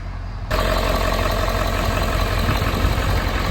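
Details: 2011–2016 Ford F-350 6.7 diesel with dual alternators, after double-sided serpentine belt replacement: engine catches and settles into a steady diesel clatter at idle, with no squeal or chirp from the belt; healthy.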